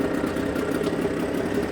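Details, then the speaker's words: Suzuki DT6/DT8 outboard fitted with a Chinese aftermarket carburetor (meant for a walk-behind tractor), running with the fuel pump feeding from an external tank: smooth, even idle with a steady buzz, no misses or surging, holds idle and max revs with no fuel overflow. "Обороты держит как максимальные, так и холостые, и ничего не переливает."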